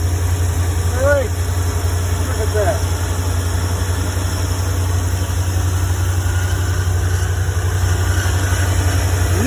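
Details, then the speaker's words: 1975 Ford E100 van V8 being revived, fuel gravity-fed through a small hose to the fuel pump, which feeds the carburetor: even, steady low rumble with no misses, knocks or surging; normal idle. "okay that was that was really nice to hear that run that's uh that little hose feeding down to the uh fuel pump is working great and gravity feeding it to the pump and then the pump pumped it up to the carburetor"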